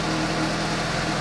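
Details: 2015 Suzuki GSX-S750 idling right after replacing spark plugs with OEM NGK CR9EIA-9 at the 7,500-mile interval: smooth, even idle hum with steady low rumble, no misses or ticks; sounds noticeably smoother, engine healthy.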